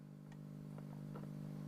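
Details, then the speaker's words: 1944 wartime civilian valve radio after all capacitors replaced, with a replacement for the intermittent rectifier valve: constant low mains-type hum with no station received, plus some RF noise; source not found. "waa that's more of an RF noise isn't it now there's a hum there all the time"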